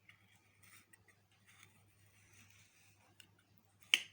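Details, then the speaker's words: Standard gas geyser thermostat: faint fumbling as the knob turns, then one crisp click, showing the thermostat works; no click would mean a faulty thermostat. "अगर वह click आवाज नहीं आ रही है इसका मतलब के यह थर्मोस्टेट खाता खराब हो चुका है"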